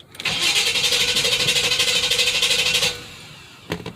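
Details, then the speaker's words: Chevy truck's first start after its factory dual exhaust was rerouted into true duals: the starter churns at about three beats a second for nearly three seconds without the engine catching. It starts on the second try; cause unconfirmed. "what the heck oh my what the heck is wrong with it now"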